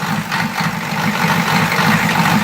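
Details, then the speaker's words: 1986 Ford F250 Bullnose diesel just started after electric fuel pump install, needing lots of glow plug and fuel filter bleeding: steady even idle clatter with no misses or hunting; normal idle. "There we go, she stopped spitin'. So Battle, she just needed a lot of glow plug. Needed to bleed the fuel filter, but she started."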